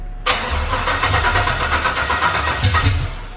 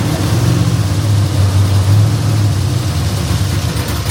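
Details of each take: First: LQ9 6.0L swap with LS3 heads, TBSS intake and long-tube headers, first start after months of sitting: steady cranking without catching or firing, even with a jumper attached and O2 sensors plugged in; battery suspected weak from sitting, not confirmed. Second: Truck with fresh LQ9 6.0L V8 swap (LS3 heads, TBSS intake, long-tube headers), first run on starting fluid: deep, loud, steadily lumpy V8 idle for ten seconds before shutoff, no knocking or ticking; owner suspects fuel trim needs tuning. Normal running.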